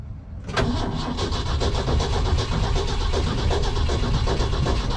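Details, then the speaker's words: Truck cranked with a little throttle: the starter churns steadily for several seconds but it never fires; owner puzzled since about a gallon to a gallon and a half of fuel was added. "i just don't want to go for some reason and there should be plenty of fuel in there because it just dumps them in probably about a gallon and a half maybe i don't know maybe a gallon"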